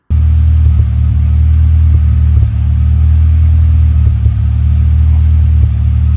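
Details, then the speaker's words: Toyota Corolla at idle: steady idle broken by irregular soft exhaust pops, a mild misfire present only at idle, fine under load; new ignition leads to be fitted. "So, as you can hear, there's kind of a little bit of a pop in it. Um under load when you're driving it, it's fine. But it it's definitely misfiring a bit."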